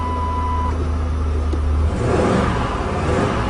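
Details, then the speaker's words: 1997 Lincoln Continental V8, cold-started, uneven idle with a rhythmic pulsing miss under a low rumble; one cylinder not firing, traced by pulling plug wires one at a time, misfire from an arcing spark plug wire. "yeah you can hear that pulsing Miss so here we go"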